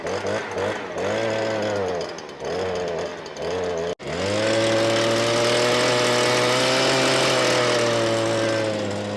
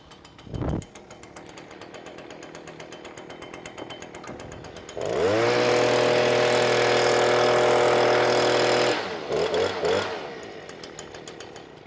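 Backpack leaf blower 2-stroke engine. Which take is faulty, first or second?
first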